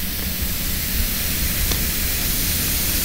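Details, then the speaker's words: Old propane tank being purged, valve opened: steady, even rhythmless hiss of escaping gas, confirmed by bubbles; both the fitting and the aged valve stem packing are leaking. "first off we're just gonna open and listen here it that's leaking like crazy somewhere nope see the bubbles"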